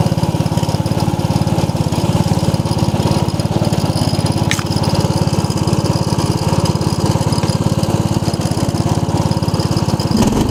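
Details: 1990 Craftsman riding mower, restarted after reassembly: quick, even putter of firing pulses at steady speed with no misses or knocks; engine runs healthy and smooth.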